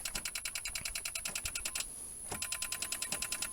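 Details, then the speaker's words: 1983 Chevrolet El Camino that sat untouched for 7 years, with a fresh battery and fluids checked: rapid sharp clicking with no engine turning over. The starter bumped once, then stopped moving; owner fears the engine is locked up. "first time we hit the starter it started bumped a little bit and then didn't move anymore"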